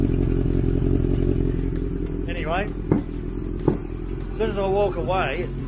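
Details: 1983 Honda CB1100F four-cylinder, after carburetor cleaning and adjustment, warming up: steady idle with sharp irregular pops about a second apart; owner thinks not carburetor, timing checked next, cause unconfirmed.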